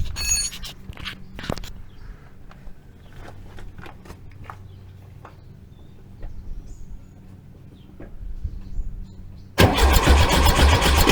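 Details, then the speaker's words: Rebuilt 1915cc engine just installed in a 1303S Beetle, spun over with plugs disconnected and no coil, fuel or carbs, to check engine-gearbox engagement. Brisk, even cranking with a steady rhythm and no firing: normal cranking. "all right that sounded fairly good"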